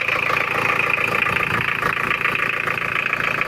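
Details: Mitsubishi Challenger 4M40 turbo diesel, recently overhauled, low power: hard, uneven idle clatter of two to three knocks a second that smooths out when revved, with oil spitting; rough idle from incorrect injection pump timing.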